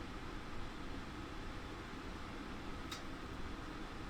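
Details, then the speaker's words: 2019 Sportsmen LE 281BHKLE travel trailer furnace switched to heat: single-speed fan rushes on immediately, soft whoosh as burner lights after 10-15 seconds; normal furnace startup. "The furnace fan kicks on immediately, but it's going to be 10 or 15 seconds before the burner actually lights up. And we should be able to hear that when it happens."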